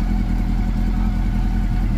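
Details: Honda CB400 Super Four that overheated and became noisy; the valve clearances had grown and were readjusted. Now being monitored: a smooth, steady four-cylinder idle with an even low burble and no top-end ticking; normal idle.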